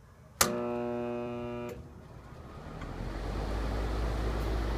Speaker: so there it was again uh same thing I got 120 amps the very first go stalled it and shut off